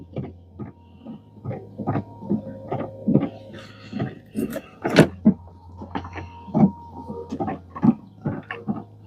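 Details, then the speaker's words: 2016 Chevrolet Equinox windshield wiper motor, a Chinese replacement unit, test-run after installation. Uneven clunks and rattles come roughly once a second over a faint motor hum, and it sounds terrible. "is that just a motor making that noise [Music] that sounds terrible terrible"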